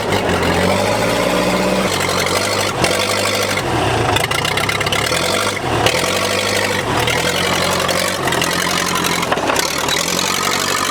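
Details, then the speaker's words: Case dozer started with a gasoline rag over the intake: loud, unmuffled diesel rumble with revs rising and falling, firing steady and even with no knocks; the engine sounds healthy. "it's run we think about that motor sounds good yeah putting a lock it loud"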